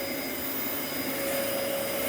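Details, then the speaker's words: Old Dyson vacuum on carpet: steady motor whine and airy rush with no brush beat; brush roll not turning at all, clutch completely worn out. "brush is not turning at all that clutch is crapped out"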